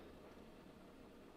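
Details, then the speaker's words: Sony CFM-2500 radio cassette after two new belts replaced badly deformed originals: faint, even whir at one steady pitch with no flutter or squeal; tape transport smooth and quiet. "lovely and smooth and quiet rewind super fast as well"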